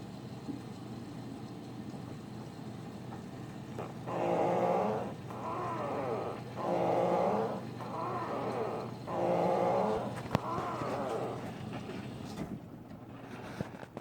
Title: Front load washer making noise. Whirlpool duet steam